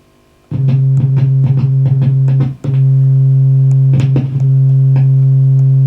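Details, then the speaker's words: Marshall JCM900 amp with low-volume distorted output, board being flexed: strong guitar notes cut out abruptly and return at the slightest touch; intermittent effects-loop jack contact, possibly a dry joint still to be checked. "i'm just flexing the board up and down very sensitive that i wonder just the slightest touch on there and it's coming going"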